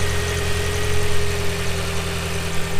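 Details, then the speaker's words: B5 VW Passat 1.8T with 400,000 miles, just started: even, low idle with a steady light hum and no ticks, knocks or misses; purrs like a kitten, a normal healthy idle. "purrs like a kitten."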